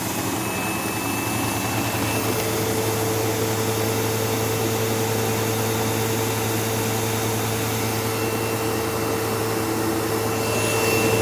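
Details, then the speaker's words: Sebo Automatic X5 upright vacuum on living-room carpet with a brushroll problem: coarse, heavy low buzz under the motor roar and a thin steady squeal like a slipping belt, though the belt has tension. Cause suspected, not confirmed. "Yeah, so I don't know if you could hear how bad that buzzing sound was. And like I could even sometimes hear like a squealing noise, almost like a belt slipping, even though there's no belt in this."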